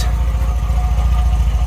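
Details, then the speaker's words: MGB revived after 28 years parked, warm idle nearing normal operating temperature with 50 psi oil pressure: steady even low thrum, regular firing, no knocks or misses, no blue smoke; noise from water pump or alternator noted; healthy four-cylinder. "on idle we've got 50 PS oil pressure and we're just coming up to normal operating temperature amazing"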